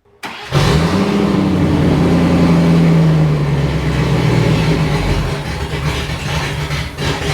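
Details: Range Rover Classic V8, restarted after 7 years unused, testing after earthing the distributor coil before sending injectors off; catches and runs but stays lumpy and uneven, not settling; still rough, cause unknown.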